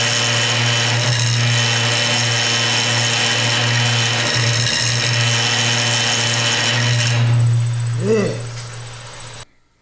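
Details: Woodturning a hard banksia pod and epoxy bowl on the lathe, volume at 50%: loud rough rattling hiss over the lathe hum as the gouge chatters, skipping on the cutter; riding the bevel reduces it.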